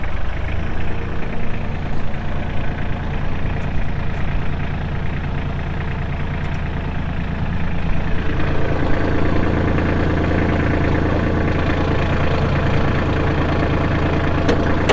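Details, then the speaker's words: Kubota L3240 tractor, pre-emissions 32 hp diesel, 94 hours, at most 2012 model: steady even low diesel clatter at idle, settling smooth with no knocks or misses; starts and runs very well; normal diesel idle. "Does start up and run very, very good."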